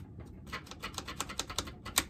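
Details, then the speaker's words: Vintage Homelite XL-12 chainsaw manual oiler after o-ring replacement (1/4 in ID, 3/8 in OD) and spring reinstalled: soft uneven squishing clicks with each plunger stroke, no hissing or air sucking; oiler pumping normally. "i can hear it pumping"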